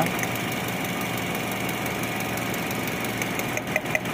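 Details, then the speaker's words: Toyota Vios with ABS light from right wheel speed sensor, misfiring mostly in mornings and with AC on, spark plugs newly replaced: uneven stumbling idle with sharper knocks, suspected injector or ignition coil fault, unconfirmed. "So palyado siya mga katamba no palyado ang andar nito hindi masyadong halata pero palyado yan"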